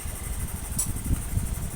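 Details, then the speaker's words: First-generation Honda Beat FI scooter that won't start when cold, idling with a problem injector: soft, slightly uneven low putter with faint fan hiss; injector flow reading 2.9 rising to 3.2, meaning a faulty fuel injector. "ini 2,9 nanti naik lagi ini seharga dulu kemudian biar idle nah diangkat 3,2 ini yang artinya injektornya itu mengalami masalah"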